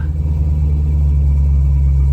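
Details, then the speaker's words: 2001 Corvette Z06 C5 with 146K miles: a deep, even idle rumble right after starting, with no misses. A faulty ignition switch had caused the no-crank, no-start, and the car now runs after the repair. "That appeared to be the problem. So car is running."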